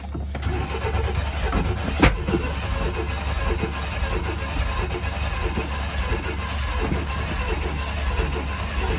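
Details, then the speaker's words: 1995 GMC/Chevy S10 Blazer/Sonoma V6 Vortec, no fuel tank, throttle doused with starting fluid: rough cranking then one sharp bang about two seconds in; owner assumes distributor timing is 180° out, fix by resetting the distributor. Backfire while cranking. "all right so assuming that it's 180 out that's why it backfired"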